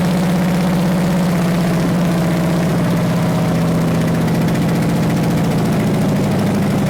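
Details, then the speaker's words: Big-block Chevy 454 V8 run after sitting 20 years, destined for a 1969 Chevelle: loud, deep, steady idle through open exhaust with good oil pressure and no rod knock or ticking; healthy engine. "well we got good oil pressure so um and it sounds good there's no Rod knocking"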